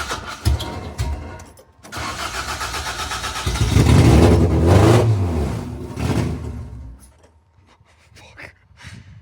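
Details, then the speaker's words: 4AGE engine in a 1975 Toyota Corolla KE35, just after the head gasket install and rebuild, with the idle screw already backed well out: it catches and surges unevenly, keeps firing, then sags and dies without settling into idle; the cause is still unknown. "But I think I think this might be where Oh, it's it it wants to It's close. [Music] It does want [Music] to. It desperately wants"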